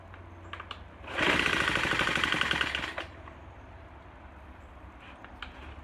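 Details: Troy-Bilt TB4HB EC four-stroke leaf blower, unstarted 4–5 years, new fuel lines, full choke, primed, first pull: fires and runs unevenly a couple of seconds, then dies. Breather loaded with oil via crankcase overflow tube from compression leaking past the piston rings.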